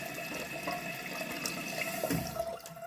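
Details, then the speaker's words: Toilet with a new Fluidmaster fill valve: water keeps hissing and trickling into the tank without shutting off; pressing the flapper down stops it, so the leaking flapper is letting the tank drain and refill. "where's the water draining to is it the flapper it's the flapper y'all hear that"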